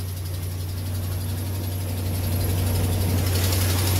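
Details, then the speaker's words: Cold 5.7L Hemi Ram 1500 at 125,000 miles, first start in the morning: steady low idle drone with light fast ticking, suspected broken exhaust manifold stud leak, not a lifter/camshaft Hemi tick. "That is not a lifter camshaft type tick. Alright, guys, do not get fooled, do not get tricked, okay?"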